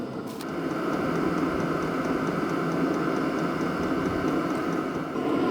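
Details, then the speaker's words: HCALORY HBH2 5L 8kW diesel parking heater just after fire-up with the display showing red: a soft, steady roar of burner and fan with faint regular fuel-pump ticking, warm air flowing strongly; normal burner operation. "The display is now showing red. So, the burner's running. The heat has settled down. It's running very nicely."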